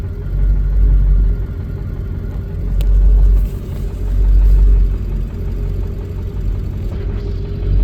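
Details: Ford 7.3 diesel with IDM code P1316: low diesel rumble that swells and sags every couple of seconds instead of holding even, a rough idle; injector driver module suspected, not confirmed.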